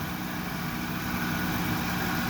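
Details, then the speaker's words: 1998-2002 Honda Accord 3.0 V6 after timing belt, water pump, thermostat and crankshaft seal replacement: even steady low idle rumble with no knocks, ticks or misses; owner suspects some alternator noise, everything else sounds good. "And it sounds like my alternator may be making some noise. But everything else sounds good."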